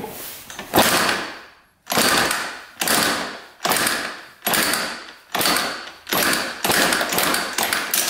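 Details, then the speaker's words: 1982 Yamaha YZ125 two-stroke kicked over: about one harsh clattering burst per kick with a rattly knock inside each, and almost no compression (about 2 PSI). Piston knock is heard; a shot crank bearing is suspected. "I mean the Piston knock in there is just horrible that is really bad"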